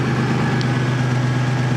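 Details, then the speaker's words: 2000 Toyota 4Runner 3.4 with P0300/P0305 random and cylinder 5 misfire, after swapping coils between cylinders 5 and 1: steady even low hum, no stumbles, fairly loud exhaust; smooth normal idle. "now granted it's a little loud because of the exhaust but how smooth it is I cannot believe how smooth it is"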